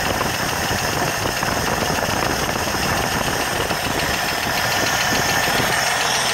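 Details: 1980 Jeep CJ7 engine running: a fast, light, sharp top-end-style ticking, steady throughout over a thin hissy background. Cause unknown.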